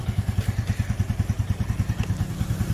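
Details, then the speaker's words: Yamaha Sirius Fi fuel-injected motorcycle idling after battery replacement (old battery drained by key left on overnight): even, steady single-cylinder thumping at about three beats a second, no misses or rattles; normal idle. "Đó bây giờ nó hoạt động bình thường"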